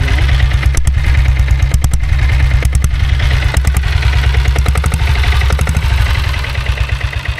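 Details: Royal Enfield Bullet motorcycle converted to diesel, just after kick-starting: slow, even single-cylinder diesel thump with a deep exhaust beat and a steady, knock-free idle. Normal idle.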